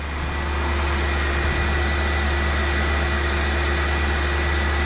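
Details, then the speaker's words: BMW 735i E65, started with a booster after a flat battery, after replacing both drive belts and one lower tensioner/idler pulley that cured a horrible squeal: steady idle hum with no squeal or chirp. Belt drive normal; 430 stored fault codes remain. "Oh oui, je sais pas, je crois que je vous avais jamais fait écouter avant, mais on a changé les 2 courroies et le bruit il a disparu parce qu'il y avait le couinement horrible, tu connais toi."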